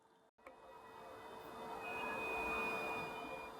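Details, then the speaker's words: Elegoo Neptune 2S 3D printer Z-axis stepper motor, driver current trimmed with a ceramic screwdriver a quarter or eighth turn: high thin electronic whine whose pitch shifts and wavers as the driver voltage changes; stepper driver whine. "so if we take our ceramic driver we can turn to the left just a little bit quarter turn or eighths turn and we can hear the sound the frequency changing"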